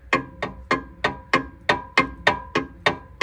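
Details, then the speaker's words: Fox-body LX Mustang automatic during T5 manual swap, engine off, converter bolts being removed: sharp metallic ticks about three a second, evenly spaced and ringing; loose torque converter bolts cause knock or tap. "Them converter bolts come loose. Yeah, them converter bolts come loose and nightmares happen. You got a If you got a knock or sounds like a tap or sounds like a knock, check your converter bolts if you got a automatic."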